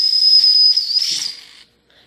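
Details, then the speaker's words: D5 steam engine boiler at first steam-pressure build-up, whistle valve first pulled with water still in the line: high shrill whistle wavers and breaks into hiss before cutting out; sputtering whistle until water clears. "It's still a little full of water right now because it's just getting going. It's like the first time I blew it, so I just gotta clear it out."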